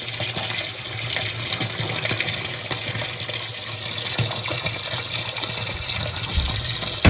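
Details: Water softener started manually after a replacement sump pump was installed, running its cycle: steady rushing, gushing water over a low hum, with no knocking or rattling; water flows normally.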